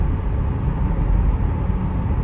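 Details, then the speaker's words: 2007 Toyota Solara 3.3 L after a broken timing belt was replaced, driven about 25 miles with several restarts: deep, even engine rumble with no knocks, ticks or misses; it runs perfectly and no valves were bent. "well this thing is running perfect I've driven it about"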